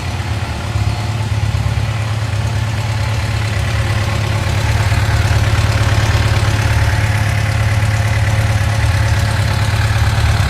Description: 2006 FJR1300 / Ticking sound after warmed up